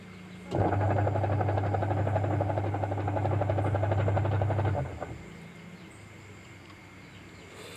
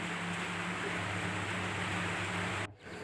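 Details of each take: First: Jumbo Sharp Dolphin top-loader washing machine on timer agitation: loud, rough low drone with rattly pulsing; noisy when washing, smooth again after repair. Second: Jumbo Dolphin-type washing machine with a noisy wash complaint, after repair (checks covered the pulsator through the gearbox). Now a steady low motor hum with soft water swishing and no grinding; the sound is smooth again.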